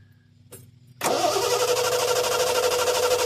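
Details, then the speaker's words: 1974 Triumph TR6, Lucas ignition, sat about four years: starter spins evenly about three turns a second with no firing; no-start blamed on ignition points, coil connector also loose. "and and nothing so the problem is definitely in the points no doubt no doubt"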